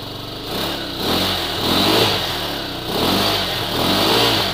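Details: Hawk 250 kick-started cold at 20°F outdoors, then left idling on its own: a steady beat that gently rises and falls, a healthy cold warm-up idle.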